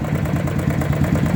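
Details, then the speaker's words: Honda Titan 150 single-cylinder motorcycle idling: rapid ugly metallic clatter in time with the engine that sounds like connecting rod or piston slap, but is a worn cam chain tensioner; replacing it nearly removed the noise. "Barulho feio, né, galera? Parece que é muita coisa que tem que fazer no motor. Parece biela, pistão batendo saia. Mas na verdade isso aí é coisa simples aí. O defeito tá aqui, galera, ó, no acionador da corrente de comando."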